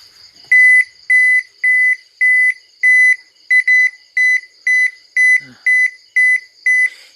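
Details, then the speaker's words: Toshiba inverter washing machine main board repaired (broken PCB trace from bad silicone coating; machine had switched off when the power button was released): steady high beeps, about two per second, no motor, E95 error because the pressure sensor is unplugged. "นะครับPressureผมไม่ได้เสียบPressure"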